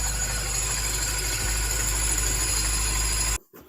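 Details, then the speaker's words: Salvage Mini JCW N14 first start after engine rebuild, belt removed from suspected tensioner: steady even idle, no knocking that was feared to be piston or bearings; normal idle, noise likely from belt tensioner. "And it's not making a knocking noise, which I thought was either a piston or bearings coming off the bomb. Now, that noise is perfect."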